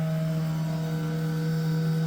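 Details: Race car, newly installed electric water pump, switched on with the key: constant low electric hum with clean, unwavering pitch, no grinding or rattle, running normally.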